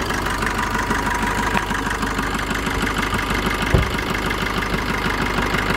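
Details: Maruti Vitara Brezza diesel after EGR valve cleaning and refitting: even idle with light regular clatter at steady rate, no misses or odd knocks; smoother than before, healthy.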